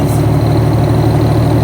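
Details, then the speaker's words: Infiniti Q50 3.7L VQ37 with a big turbo setup, loud idle with a quick, even puffing tick over the rumble: an exhaust leak where the manifold meets the first pipe, traced to a blown downpipe gasket at the head. "We got a nasty exhaust leak right now. So what? You hear it? Yeah, I hear it. Yep. Exhaust leak, but oh well. The manifold meets the first pipe."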